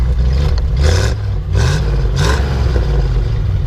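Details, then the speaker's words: One-owner 1975 Ford F-100 Ranger 4x4 pickup with 1968 Ford 390 V8 (originally 360): deep even rumble swelling in three clean throttle blips, no knocks or misses; healthy engine. "know sounds great it's got a 390 in it you know from a 1968 Ford"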